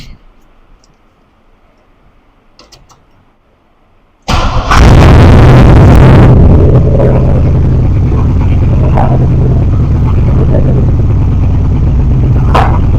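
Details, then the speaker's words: 3rd Gen Camaro Z28 V8, carbureted and poorly tuned, started with starter fluid; cranks, catches and revs with a lumpy, uneven beat as one cylinder fails to fire; pulling the number two plug wire gave no change, though spark is present. "I pulled the spark plug wire for the number two cylinder and I didn't hear any change whatsoever."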